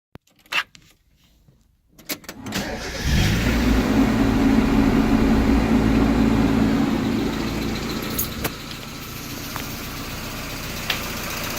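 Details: Engine starts and idles with a steady light tick about four per second; owner unsure if lifter tick or rod knock; oil black though changed about 1500 miles ago.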